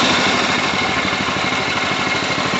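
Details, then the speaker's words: Old Sears Craftsman Suburban 12 hp tractor after carburetor repair and mixture adjustment, idle turned very low: slow, even single-cylinder idle with regular firing pulses and no misses, running smoothly. Normal idle. "Just see how low we could idle that thing. The old school stuff. Purrs like a kitten, baby. She runs."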